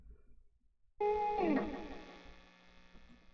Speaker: there's that 60 cycle hum that's the cycle I hate this sound the sound right